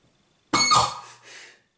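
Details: Casio DH-100 digital horn, stored unused since the nineties, with a common squawk fault when played: a sudden harsh, hissy squawk of about a second, then fading. It is traced from the top board toward the ribbon-cable audio output, and the cause is not yet found.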